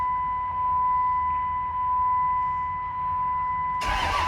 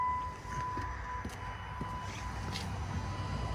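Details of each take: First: Cummins diesel single cab truck bought not running, after grid heater relay wires repaired and codes cleared: steady chime, then starter churns evenly about three turns a second without catching; no crankshaft position sensor signal, lift pump unplugged. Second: Cummins diesel single-cab truck, key on: faint steady high whir of the electric lift pump priming under a low rumble; pump now works after pushing its half-unplugged connector with broken clip back in.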